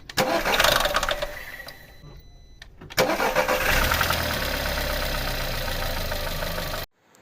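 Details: VAG 1.4 TSI engine (code CAXA, as in Seat Leon/Golf): after a brief crank it catches, and a fast metallic rattle rides over the cold-start idle. Timing chain stretched, so the chain and tensioner are being replaced.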